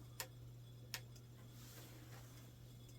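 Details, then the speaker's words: Curbside-found old desktop PC after reseating RAM and replacing the dead CMOS battery: two or three sharp ticks over a low fan hum at power-on, then a dull thump; no POST, no display; dead motherboard or bad RAM suspected. "J still no post codes or anything like that now the monitor was it's on and no input power so it could just be a dead motherboard it happens could be really bad Ram"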